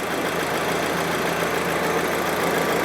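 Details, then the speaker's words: 2008 VW GTI, 2.0 FSI turbo (BPY), 209,000 miles, after replacing the destroyed cam chain tensioner, chain and damaged high-pressure fuel pump: normal idle with an even, quiet tick and no chain rattle or clatter. "now it's running fine and I don't know if you can hear it just way quieter in there now that there's actually something tensioning that chain and the end of the fuel pump's not torn off"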